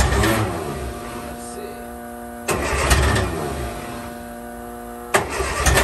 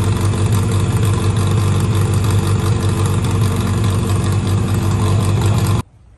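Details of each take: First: 1963 Austin Healey Sprite 1098, first start attempt after almost a year sitting. Three crank attempts churn briefly and fade without catching; it cranks but won't start. The owner suspects a clogged fuel filter, and the starter is sparking. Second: 1963 Austin-Healey Sprite 1098 after swapping the Weber for SU carbs, ignition timing turned back to cure popping, idle adjusted: strong even low rumble, steady beat, no misses, then clean shut-off. Normal running; SU leaks fuel, probably needs gasket kit.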